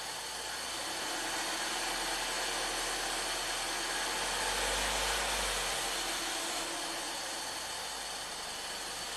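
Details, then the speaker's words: Ford EcoBoost van with intermittent stalling and P0106 MAP performance code, restarted after stalling while the cam was jumpered: fast, even loud ticking near four per second over idle; cause unidentified, fuel pressure, GDI pump or VVT suspected. "it's dinging and dinging or clicking really loud"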